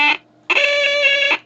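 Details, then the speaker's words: Major Morgan electronic organ toy, keypad with worn conductive material, fresh battery fitted; two short reedy organ tones, the second a higher held note that sounds sour and not an octave above the first, off-pitch note. "I think that it doesn't sound very good that sounds like me trying to reach that note and it"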